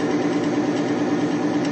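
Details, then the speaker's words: Bitron diesel additive extreme-pressure bearing test at about 300–350 lb of load, versus plain diesel failing near 50 lb: a steady, even mid-pitched hum with no chatter or seizing; the bearing is still lubricated. "I'm up over 300 lb to about 350 lb of weight right now and it's still not seizing and remember with just the diesel fuel alone it was failing at about 50 lb if that"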